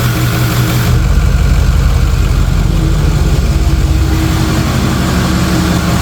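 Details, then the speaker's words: 6.0 Powerstroke diesel truck after an oil change, coolant drain and 180-degree thermostat install, briefly idled before shutdown: steady, deep, even diesel clatter with no misses or knocks; normal diesel idle. "And now we gotta fire it up. And we gotta let it idle for about 5 to 6 seconds and then shut it down."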